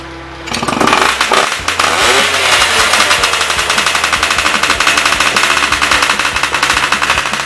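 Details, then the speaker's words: Yamaha Y110SS two-stroke motorcycle after repair: starts, blips, then settles into a steady, even, rapid idle. The earlier unstable idle was caused by cylinder wear and a blocked carburetor, which was cleaned. "Okay, now this motorcycle has been repaired. Its problem is caused by the wear of the cylinder and the blockage of the carburetor."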